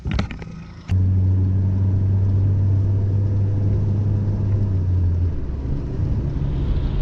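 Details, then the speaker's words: Exhaust system idling after a leaking muffler pipe was patched with a no-weld fix: a short clatter at start-up, then a deep, steady rumble with no hiss or puffing; far quieter and sealed. "alright alright alright so 100 times quieter and we're all set now so it's a quick and easy way to to patch up your exhaust system"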